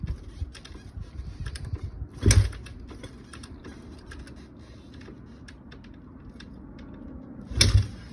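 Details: Kawasaki KX250F with fuel, air and spark confirmed: two heavy kick-start strokes about five seconds apart, each a short thud that dies away with no firing; it won't start.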